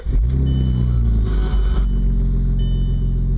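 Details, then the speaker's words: 2002 Audi S4 on first drives after Stage 2 upgrades, windows down: loud low droning rumble that swells under throttle, raspy edge, quieter off the gas, coming from the centre of the car. Exhaust leak suspected at a flange. "don't like it this loud I mean with the windows up it's it's not too bad"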